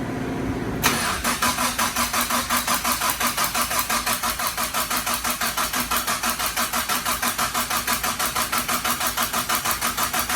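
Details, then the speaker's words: Mitsubishi Starion/Conquest G54B engine just reinstalled, before its first start: even starter cranking at about three compression strokes a second with no firing, turned over on purpose to build oil pressure before first fire-up. "Okay, so we're gonna crank it over right now. Get the oil pressure and everything going. There we go."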